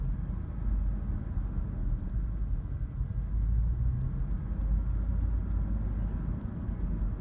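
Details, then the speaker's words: 2004 Dodge Durango 5.7L Hemi idling in Park after about three minutes; deep low rumble with uneven wavering beat, smooth in Drive, rough again back in Park; rough idle, cause not yet known. "after sitting in park for maybe three minutes this is what starts but it's only a park put it in Drive it's fine they're back in park does it a stall but it's definitely a rough"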